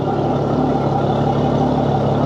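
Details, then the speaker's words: Yamaha F300 XSB2 4.2 V6 outboard at its 100-hour service, owned about a year and a half, on 20W40 Yamaha oil, idling on a flush hose after fresh oil; smooth, steady even low hum, no knocks or hunting; normal idle. "can hear, the engine sounds perfect."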